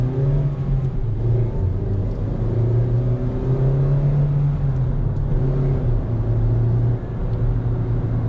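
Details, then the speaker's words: Mazda 3 after replacing destroyed engine mounts including torque mount, which had caused grinding drive noise: smooth engine pulling through gears with steady low hum, no clunk or rumble under acceleration; drives normally. "it's working absolutely great normal functions no miss sounds everything sounds really nice and it drives absolutely great"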